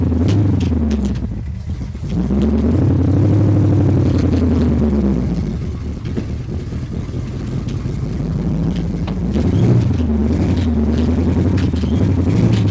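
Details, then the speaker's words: Engine restarted after sitting about three and a half weeks since the motor was damaged, revved up and down: a dry rattle over the low rumble that rises and falls with revs. The source is not yet identified. "I want y'all to hear the rattle. If it ain't too bad, well, we'll back in in you pull it in the shop there."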